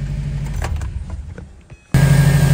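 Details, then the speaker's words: 05 2.5 RS first start after new motor, clutch and valve covers, heater on, AC off, cooling system still bleeding air bubbles; quiet rattling then smooth steady low idle with no knocks; normal idle. "running great just letting her bleed go coming up and getting all the bubbles out"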